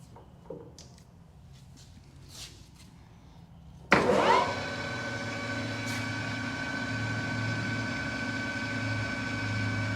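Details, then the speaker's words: New Precision Matthews PM 1660-TL lathe on its first run and break-in, in the high range at about 900 rpm: the spindle spins up and settles into a smooth, even hum. Normal high-speed running. "sounds good all right let's go to 1200. very nice nice and smooth it's not it's it's a lot quieter than i expected it to be in these high gears right there it really is"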